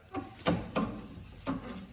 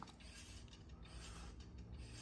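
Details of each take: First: Car with all-new front suspension and two-piece rotors, passenger-side front wheel: a dull clunk every wheel revolution with a faint, relatively normal brake scrape; driver's side worse; owner suspects rotors, cause not confirmed. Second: Hand-spun front wheel on a car with all-new front suspension, after fixing a brake clunk by reassembling the two-piece brake rotor hardware and torquing it to 62 in-lb. Smooth whir with faint pad drag and no clicking; the repair worked.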